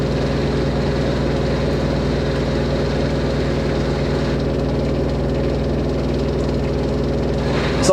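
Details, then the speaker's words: Fisher & Paykel WD8060P1 washer dryer on a 90°C towel cycle: an even spin hum holds at one pitch and never climbs, as the unbalanced load caps the final spin at about 1200 rpm instead of 1400. "I can hear the motor wants to engage the higher speed I can hear it but like it just doesn't want it there the break H so we only reached 12200 on that one that's what happens when you have a machine that FS over like nothing"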